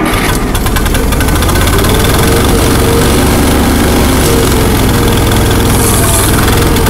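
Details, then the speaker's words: Allis-Chalmers 170 tractor, run after sitting two years, with rebuilt carburetor, new plugs and coil, and a miss on cylinder 2 or 3: long, uneven churning at about three beats a second that never settles into an idle. Owner suspects fuel not fully reaching the carburetor. "yeah it's it's not reaching the carburetor not completely"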